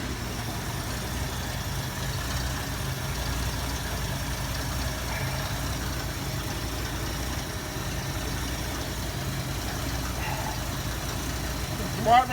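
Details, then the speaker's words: 1973 Ford Mustang convertible, 302 2V with Autolite 2100 carburetor, about 21,000 original miles after long barn storage; V8 idles slow and loping at 400 rpm, too low, because idle not reset by throttle position solenoid. "if you listen to the engine it sounds like it's running kind of shuttle and it is look at the tachometer it's running at 400 rpm at idle in part way too low for normal idol"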